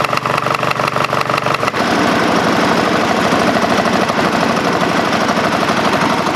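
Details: Craftsman GT5000 lawn tractor twin after woodruff key replacement, run without cooling fan and housing: catches and settles into uneven, shaky beat around three pulses a second; rough running with vibration, cause unknown, owner doubts crankshaft or weight problem.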